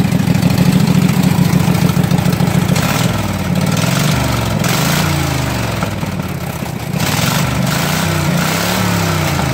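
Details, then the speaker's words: Flooded Husqvarna mud mower, 18hp Kawasaki V-twin, after pond submersion with water in gas and oil; float bowl drained, new gas with Sea Foam: runs on its own with a steady putter and slight speed wander, normal idle. "watering the gas um watering the oil a lot of water in the oil and it fired right up and ran"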